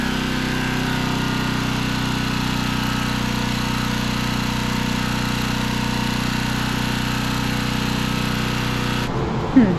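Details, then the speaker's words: Generator small engine on replacement Chinese carburetor, idle adjusted down as carb was poorly set; steady buzzing drone at constant speed with no surging or misses, then stops abruptly; runs evenly. "Alrighty. Well, as you can hear, it runs. I had to adjust the idle down because that Chinese carb wasn't really up to the task or anywhere near adjusted."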